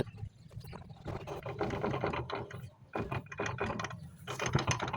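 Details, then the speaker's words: Yamaha Mio MXi 125 FI scooter, CVT and crankcase off, rear wheel turned by hand: loose, uneven ratcheting clatter from the transmission. Gears are loose and worn; noise had appeared on hard acceleration. Transmission gear set to be replaced. "Yan, grabe yung ingay niya. Maluwag na yung gearings niya."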